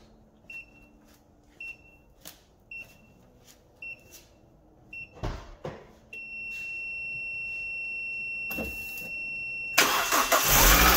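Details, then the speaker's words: Autowit SuperCap 2 jump starter charged about seven minutes: evenly spaced beeps, steady tone, then engine cranks briefly, catches and runs; normal start. "okay so it worked i i had my doubts but um yeah it works"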